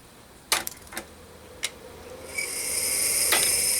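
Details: Micropolis 1325 5.25-inch full-height hard drive on power-up: several sharp, uneven mechanical clicks, then a rising high-pitched whine as the drive spins up; smoke came out of it shortly afterward.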